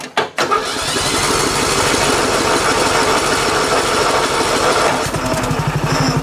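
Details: AdoreTrip 2500a jump pack used to start the mower: a short crank catches quickly, then the engine settles into a steady, busy run; starts fine on the jump pack.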